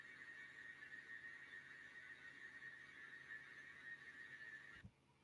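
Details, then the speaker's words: Machining cut after moving the workpiece deeper into the vise jaws to stop the hollow, vibrating chatter: steady, even cutting tone around a high whistle that holds, then stops as the cut ends. "Entonces cómo se mejoró ese proceso si escucharon por ahí se veía muy muy hueco ese ese ruido de maquinado son vibraciones cómo se soluciona metiendo la pieza más hacia la prensa y trabajando"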